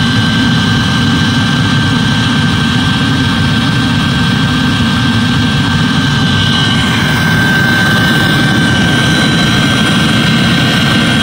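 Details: Eberspächer D5WZ parking heater in Ford Galaxy/VW Sharan/Seat Alhambra TDI, after repair of three faults: even, constant burner and fan roar with fuel pump audible, no surging, popping or dropouts; burning cleanly.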